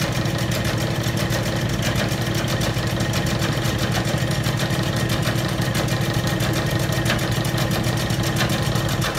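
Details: Old Bennett 541 gas pump motor, stored in a barn for many years, running for the first time after powering up: even, steady low hum with a smooth, unchanging rhythm and no knocks or scraping. Normal, healthy running.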